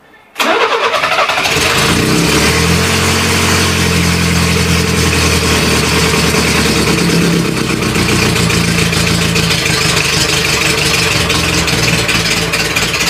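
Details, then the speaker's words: Renault Trafic van, revived after 23 years, on a makeshift leaky exhaust with no radiator fitted, awaiting a new water pump: catches at once and settles into a deep, loud, steady low rumble, not shrill; the exhaust is left as is for now. "Je vais le laisser comme ça pour le moment uniquement parce que en fait le son il est grave, c'est un son un son grave, c'est pas un son strident."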